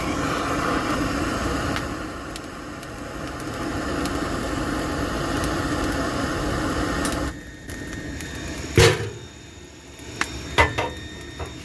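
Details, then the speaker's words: Woodgas-converted Chevrolet Cavalier gasifier: a torch is lit inside while the system pulls a vacuum. A steady rushing roar as the fire is drawn down hard, getting hot, then it quiets and clanks. Normal gasifier draw. "you can hear that's roaring pretty good down in there let's see stick it down in here yeah getting good and hot now"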